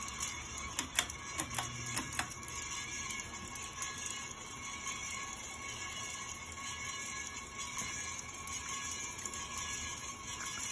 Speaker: i can hear that squeaking condition in the motor